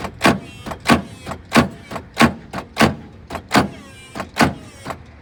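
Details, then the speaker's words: 8V71 two-stroke Detroit Diesel after a runaway with water fed into the blower, which got hot and locked up; racks untied: sharp clunks every two-thirds of a second, no rotation; engine seized. "seems pretty locked up to me let me find a bar [Applause] yeah she ain't budging locked up tired and Hill"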